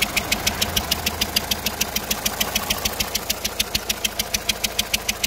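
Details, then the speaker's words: Renault Megane 2 1.5 dCi 100 hp diesel at idle just after a timing belt job: sharp, even metallic ticking about 200 per minute, helicopter- or train-like, over a steady idle; source unknown. Clutch recently replaced. "j'ai un bruit là je sais pas ce que c'est je voudrais savoir à votre avis d'où ça vient l'origine de ce bruit là on dirait un truc d'hélicoptère de quoi un truc de train là je sais pas si vous entendez"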